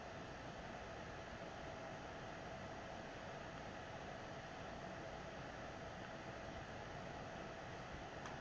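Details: PS4 Pro, first-gen 7015B with copper shim and new pads on south bridge and HDMI-area chip vs dust-cleaned third-gen 7215B; during regular gameplay after a taxing cutscene, fan noise drops a lot; soft even airy hiss, no whine, rattle or surging: normal fan noise.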